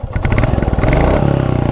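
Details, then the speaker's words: 2023 Royal Enfield Classic 350 OBD-2 (E20) single-cylinder at idle after 1600 km: rapid, even light chatter over the thumping idle, louder than it should be; owner suspects the tappets are making noise, not confirmed. "मुझे जहाँ तक लग रहा है इसके जो टैपेड हैं वो हल्के से साउंड कर रहे हैं।"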